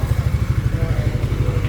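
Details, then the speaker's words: Engine after a connecting rod knock repair, with new connecting rod side bearings, idling during break-in: even, low exhaust pulses with no knocking inside; it runs quiet and healthy. "Sobrang tahimik na. Wala ng humahampas-hampas sa loob."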